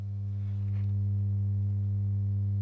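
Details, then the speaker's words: Marshall AS50R acoustic guitar amp powered on a bulb current limiter, bulbs lit very bright: loud steady buzzy hum with no signal, the blown output package likely putting DC on the speaker. "Yeah. The the package is the package is blown. So, I'm guessing we're getting some DC on that speaker."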